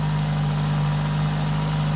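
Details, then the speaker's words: Citroen BX 4WD barn find, not run for about 13 years, missing engine-bay parts just refitted; steady, fairly high idle that won't come down when a hose is squeezed off; idle air control valve appears to be doing nothing. "yeah it's the idle air control valve that is not doing anything"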